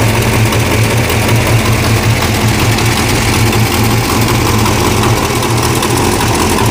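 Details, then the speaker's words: 1969 Barracuda V8 started after about three months sitting, with a little gas: a loud idle with a rapid, steady ticking puff on each firing pulse. An exhaust manifold leak is blowing out underneath between cylinders 1, 2, 3, 4 and 6. "oh definitely an exhaust leak okay yeah it's blowing out the bottom between uh cylinder 1 2 3 4 and six"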